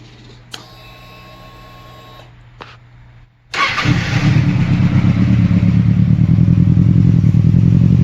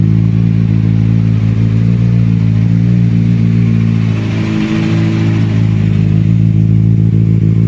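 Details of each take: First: 2007 Kawasaki Ninja ZX6R lacking power: chirps at key-on, then starts and idles roughly with an uneven, lumpy beat, running on three cylinders; bad spark plug or coil pack suspected, fixed with coil pack. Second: 2007 Kawasaki Ninja ZX6R, previously running on three cylinders with power loss, just started (hard to start) after new coil pack: deep, even four-cylinder drone, brief dip and recovery, smooth and regular; normal running.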